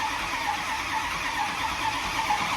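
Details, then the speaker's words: 2006 Ford F-350 6.0L diesel, first startup after engine job (new turbo, head gaskets, head bolts, heads, intake, pan, updated boost tubes): steady cranking to build oil pressure and fill oil rails, batteries sound a little weak, then it starts; normal cranking. "batteries on this thing sound a little weak so we'll probably oh There She Goes"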